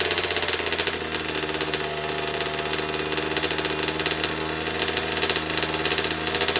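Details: 2009 Kawasaki KX85 two-stroke, first start after reassembly, before correcting the fuel mix to the manual's 32:1 (ratio suspected off), small leak present: crackly idle with uneven popping beat instead of a crisp note; running rough.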